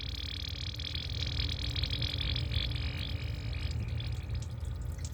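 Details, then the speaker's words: Ford Focus with OSC 2743 radiator, engine idling with radiator neck open: gurgling, burping bubbles as trapped air bleeds out of cooling system; trapped air linked to code P0128. "Still pushing the air out. Okay. Can you hear it pushing that air out that radio? That's the top. Okay. That's how you bleed the air out the radiator."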